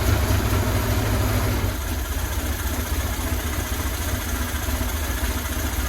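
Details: 2000 Buell Cyclone M2 V-twin, first start after new lifters and battery installed to cure lifter tap: steady deep loping idle, no valvetrain ticking, only breather noise; normal idle.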